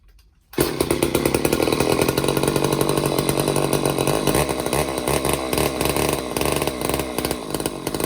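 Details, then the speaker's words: Old Craftsman chainsaw after Walbro carb clean/rebuild and new fuel lines, jets opened up, half choke: catches after half a second and settles into a steady, even buzz that dips slightly midway, burning old oil out the exhaust; normal running. "Sweet. Burning off a lot of old crappy oil in there in the exhaust."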